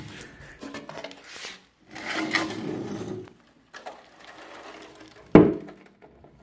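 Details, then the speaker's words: Removed fuel tank from a 1958 MGA under restoration, tipped slowly back and forth: gritty sliding swishes and a sharp clatter from loose rust scale inside, with no fuel left; the tank will likely be replaced. "I don't know if you can hear it, but there's all kinds of crap in there."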